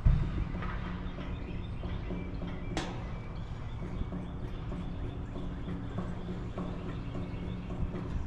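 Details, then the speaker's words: HVAC system fan motor turned by hand after a customer complaint of a funny noise on startup: loose, irregular clicking and knocking over low rumble; bearings have play, worn motor bearings. "Bearings have some play in them. That's not good."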